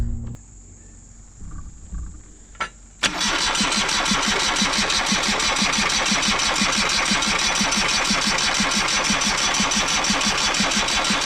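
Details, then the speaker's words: John Deere 2653A reel mower with a Yanmar 3-cylinder diesel, which sat for at least 6 years. The battery was charged overnight and a booster pack is on: a click, then steady cranking about three pulses a second, no firing. "Let's see if we can get it to crank long enough to get this"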